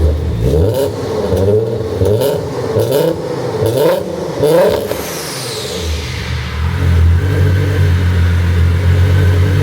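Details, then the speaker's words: R32 engine, newly supercharged with Milltek manifolds and a stock untuned ECU, first start-up: rough clattery revving, then a sudden whoosh and a drop to idle as a boost pipe that wasn't fitted properly blows off. "And if you heard at the end, one of the boost pipes actually came flying off."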